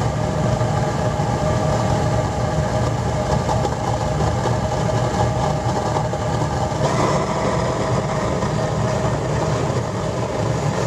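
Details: Horizontally mounted waste oil burner running on a waste engine oil and vegetable oil mix after wood preheat; steady, even roar of the flame with no pulsing, sputter or surging; burner running properly.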